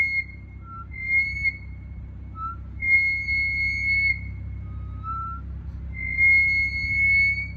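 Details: BMW 440i F36 with M Performance brakes: high, piercing squeal in repeated bursts while slowing from front brakes, pads still good and wear pattern fine; cause unknown; brake squeal.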